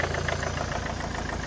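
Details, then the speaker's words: Ford Mondeo MK4 diesel first start after replacing the copper injector seals and the leak-off pipe on all 4 injectors: even, steady idle knock at about seven beats a second, no misses or rattle; running healthy. "So we'll get that fitted, start her up and see if this all works. She's alive!"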